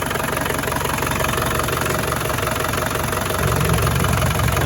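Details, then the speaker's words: 1990 Land Rover Defender 110 200Tdi diesel, 137,000 miles, just started with no warning lights: even diesel clatter at about three beats a second, steady with no puffing; it runs like a top with no blow-by or smoke. Normal idle. "Engine runs like a top, nice and smooth."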